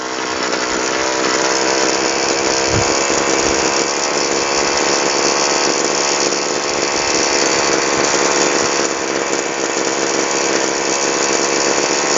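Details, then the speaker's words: Two-stroke sprayer engine after turning an adjustment screw with a screwdriver, no spark plug or fuel-mix change: steady, even high buzz without stumbling or cutting out; normal running after fix. "dan sekarang masalahnya sudah teratasi tanpa harus mengganti busi tanpa harus ke tukang service atau tanpa merubah campuran BBM"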